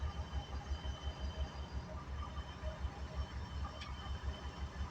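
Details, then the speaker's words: 1989 Ford Econoline 350 motor home, reportedly unrun since 2020, started on ether with old nasty fuel; lumpy idle with an occasional miss and a puff of tailpipe smoke, blamed on bad fuel; tank pickup not yet sorted. "If you look at that tailpipe, you'll see it miss every once in a while, puff smoke. It's nasty fuel, so I got to figure out what what I got to do to actually get that tank to suck up some gas."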